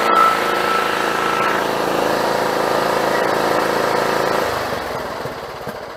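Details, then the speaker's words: John Deere GT262 lawn tractor engine after swapping in a spare carburetor: steady, even low idle with smooth regular firing that never stumbles or hunts; normal idle. "so let's see what happens now that everything's hooked back up foreign that sounds pretty good hell I might not have to do anything"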